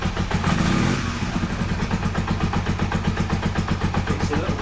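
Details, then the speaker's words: Honda CB250N Superdream 250 motorcycle on full choke after carb work (sync, idle screws): slow, slightly uneven sagging putter; idle set too low and needs raising. "Let's put the choke again fully on. The idle is a lot slower. In fact, it's too slow."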